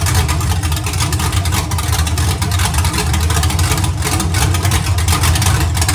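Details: Iron 5.3 LS LM7 V8, believed 2002–2003, likely BTR Stage 2 truck cam (212/218, about 9° overlap), on a run stand with open headers; deep steady rumble, lope gone once revved, no knocks or ticks, healthy.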